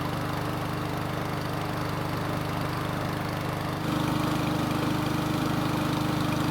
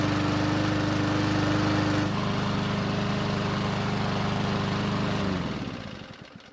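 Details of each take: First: Ariens mower small engine after long storage, carburetor serviced and oil checked: even, steady drone at constant speed with no surging or misses; runs smoothly, later restarts hot. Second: Ariens mower after long storage and carb work, hot restart with fuel squirted into carb: catches on fourth pull, runs at fast even beat then cuts out and winds down; hard starting when hot, old tank fuel suspected.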